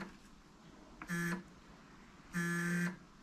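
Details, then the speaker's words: BMW E9 3.0 CSi barn find unstarted over 20 years, engine not turning on belts: two short steady buzzing bursts when the battery earth is connected; possible short, suspected not confirmed. "cuz when I'm touching that on I'm getting a buzzing noise I don't know whether that's a short or something going wrong"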